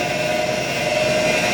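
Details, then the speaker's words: Noisy booster-set pump in boiler plant room, system at 4 bar set point, 4 bar PV, 53%: loud constant rushing roar with steady mid-pitched hum; sounds on its last legs, owner suspects it may just need venting. "oh that's a noisy a noisy pump isn't it sounds like it's on its last leg maybe it just needs venting or something"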